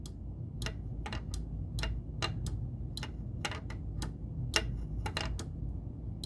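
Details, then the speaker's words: South Park pinball, newly installed replacement switch tested with the playfield up (old switch was intermittent). Sharp irregular clicks and ticks over a low hum as the ball rolls, and each pass trips the switch cleanly; switch working normally. "it's working except i just thought of something i have to test this with the play field down to see if the ball has another weight to actually push that switch down"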